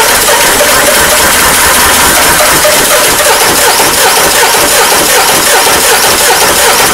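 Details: Peugeot 307 HDi 2.0 common-rail diesel that died while driving: long fast steady cranking before the engine barely catches; hard starting, cause not found, timing questioned.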